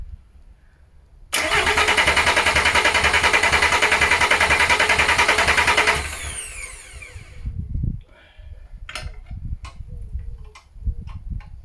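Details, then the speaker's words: VW LT35 diesel van laid up four years, needing engine rebuild, new starter motor: steady cranking at about three and a half turns a second for five seconds, never catching; no-start while fuel is still being drawn up, air in fuel system. "okay just keep winding it over but not too long because you don't want to be burning your starter motor especially when you've just put a new one on too"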